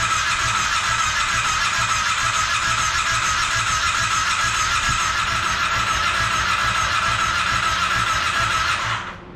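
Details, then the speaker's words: Monster golf cart build, first start attempt with temporary gas tank: steady whirring crank about three and a half turns a second that never catches; no fuel in line at fuel pump hose, fuel pump bad and replaced. "so it turns out it's not getting fuel I pulled the fuel hose off of the fuel pump there's no fuel in the line so it looks like the fuel pump is bad"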